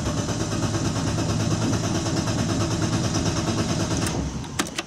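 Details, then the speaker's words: BMW E36 320i turbo drift car with 182,000 km, first start attempt after acquisition: a steady starter churn at about three beats a second never catches and fades out; it cranks but won't start because the tank is out of fuel. "C'est parti. Mais je crois qu'on n'a plus d'essence."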